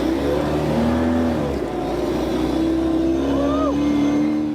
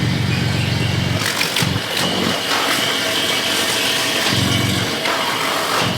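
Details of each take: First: Off-road truck "Banana" heard from inside the cab: steady low hum under the engine note as it revs; exhaust drones through the body, sounding too tough inside though good outside. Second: Off-road truck "Banana", started up: even idle, three clean rev blips settling back, full smooth exhaust with a little beef and no rasp or rattle; normal exhaust note.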